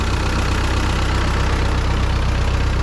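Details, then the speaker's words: 1939 Ford 9N tractor with its electrical system converted from 6 V to 12 V, started cold with the clutch in and low throttle: an even, steady low idle beat of about 158 pulses a minute, no misses or knocking; healthy idle. "Let's see if it starts. Clutch is in. Here we go. Nice, starts right up."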